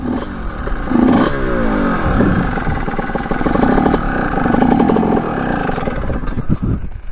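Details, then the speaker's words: Suzuki RM125 two-stroke dirt bike, first ride after sitting 15 years: revs rise and sag unevenly with a spluttering crackle. The owner suspects it is running lean or not getting enough gas, though fuel is reaching it; unconfirmed. "i don't like the sound of that it sounds like it's not getting gas or something that sounds really weird"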